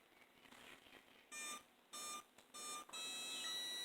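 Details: Sensorless hobby controller powering a 3D-printed 8-magnet, 6-coil axial flux BLDC motor: three short clear beeps about half a second apart, then a longer steady tone; normal ESC startup tones.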